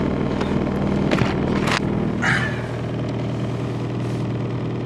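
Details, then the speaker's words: 1990 Chevrolet Cavalier, possibly ~90,000 miles (odometer suspected rolled back from 60,050), at idle after cold start: rough idle with steady low drone and loose clatters, heavy vibration; owner suspects engine mounts are gone. "I don't know if you can see that vibration I'm sure you can hear it but I don't think this car has any engine mounts anymore"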